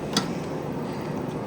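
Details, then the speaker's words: 2009 GE AEW05LMS2 5200 BTU window AC (13.40 oz R22) just after compressor start, fan on high, drawing 3.116 A, reading 75°. Steady even hum from compressor and fan, faint early tick, R22 flow audible: normal running. "Hear that R22 going through there."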